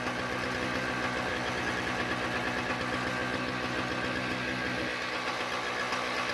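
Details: Toro CCR2000 single-stage snowblower with a 4.5hp two-stroke Suzuki engine and Mikuni carb, after carb cleaning, primed, choke open: it fires up and holds a steady, even fast idle with no stumbling or surging, running cleanly.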